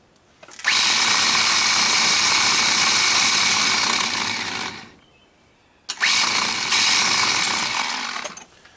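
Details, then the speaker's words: Ford F-150 old starter bench-tested off the truck, wired directly bypassing the solenoid: two bursts of high, raspy, gritty whir instead of a smooth torquey spin; starter sounds worn and was replaced with a new one. "know if you can hear that or not but boy sounds horrible"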